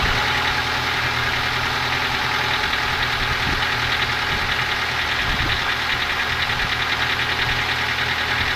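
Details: Ford Focus 2 engine at idle with light, uneven tapping about three knocks a second over a steady idle; knock of unclear origin.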